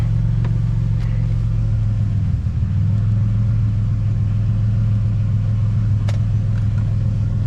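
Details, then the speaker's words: Budget turbo Ecotec-swapped BMW E46 on a drive: engine drones low and heavy under load, revs staying down as if stuck in a very tall gear, lugging; cause unconfirmed, and a rear tyre is very flat. "sounds like it's still stuck in a really tall gear."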